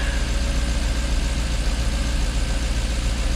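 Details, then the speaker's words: Jaguar XK8 after coil replacement, idling at about 800–850 rpm with good oil pressure and charging, gives a deep, even rumble with no misses or knocks; slight vibration noted and may need new plugs; normal idle. "she's running good we've got good oil pressure batteries charging half a tank of gas just over temperatures down of course it would be we're probably ticking over around 800 maybe 850 ."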